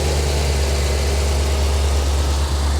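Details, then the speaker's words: 1985 Chevy Corvette C4 V8 swamp rescue after engine work, with oil spilled on the manifolds burning off and some spitting the owner isn't concerned about: deep, even idle with a regular low beat, no misses or knocks; normal. "you could hear it spitting its button a little bit like i said i'm not overly concerned with that we got a lot of oil and stuff spilt down the manifolds as well"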